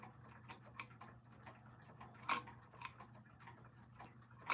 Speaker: You can still hear that uneven click as it switches between uh the dates.